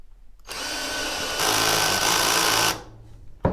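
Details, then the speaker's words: Hart HPDD02 cordless drill in forward, speed one and lowest torque setting drilling a 2x4: high whir then rapid clutch clicks as the bit stalls; clutch slips at low torque. "you can just kind of hear it clicking and stopping so obviously we would need it up higher torque setting all the way up"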